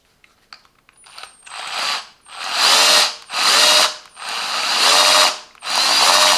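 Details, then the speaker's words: Parkside PBP B1 drill pump on a drill (max 2800 RPM) run dry before hoses are connected, max dry run 30 seconds: repeated bursts of high even whirring as the drill spins up and stops, no grinding; normal dry run. "We need to connect the hose, inlet and outlet, and start the pumping process. The max dry run time it is 30 seconds."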